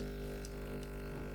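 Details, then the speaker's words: Low-cost AMZ Chef espresso machine with a pressurized dual-wall basket, extracting: a steady buzzing pump drone with a faint hissy sputter over it. This is the usual, normal sound of a dual-wall basket. "You hear that sound? Like, that's what you always get from dual wall baskets."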